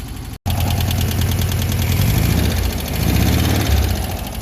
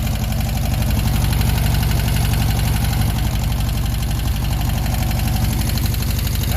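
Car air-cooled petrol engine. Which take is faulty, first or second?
first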